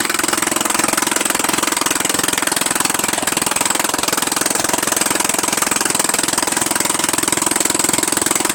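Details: Murray Widebody LT 14.5 42" lawn tractor idling steadily, just started on fresh gas without stalling: harsh, raw, rapid popping, much louder and sharper than normal. The exhaust is loud because the muffler is off.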